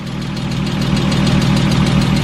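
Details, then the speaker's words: Porsche 987 Boxster S, unknown mileage, first start after years sitting non-running: fast, light, regular upper-end ticking over a steady idle that follows engine speed; owner suspects lifter noise that may fade after running longer. "But the other thing that we're a little concerned about is when we started it, there was a little bit of like a upper end engine, like ticking lifter noise,"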